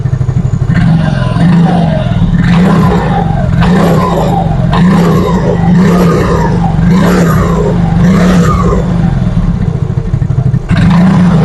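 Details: Yamaha Mio Fino 125 fuel-injected scooter after cleaning and adjusting the idle speed control (ISC) via its hose: holds idle alone with no throttle, steady low hum with light recurring clatter on top, no hunting or stalling; normal idle.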